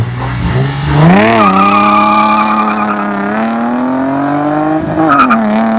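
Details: Nissan 350Z VQ35DE V6 with budget DIY cat-delete exhaust, GoPro recording: loud, clean howl rising and falling smoothly with throttle, some tyre chirp; healthy free-flowing exhaust.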